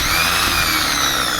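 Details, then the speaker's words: Mercedes-Benz starter motor that only clicked in the car, bench-tested off the vehicle on direct battery power: steady, even high-pitched whir with no grinding, clicking or stumbling; the starter spins freely and is judged good. "सही काम कर रहा है। Okay हो गया है।"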